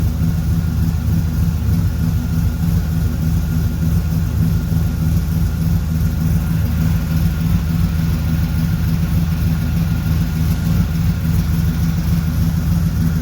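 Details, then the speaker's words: 1976 Corvette Stingray V8 first run in 8–10 years, fresh filter, idle screw turned up, warming up, oil pressure good: deep, even rumble at a steady idle with no misses, knocks or ticks on top. Healthy, ran pretty well. "but I'm going to call it a win because it fired right up and ran pretty well."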